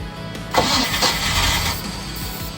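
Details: Mercruiser 305 engine in a 1995 31-foot Silverton yacht, long unused, after an oil and filter change, with water found in the engine. It cranks in an even churning rhythm but never fires: crank-no-start. The owner suspects old fuel or the fuel pump.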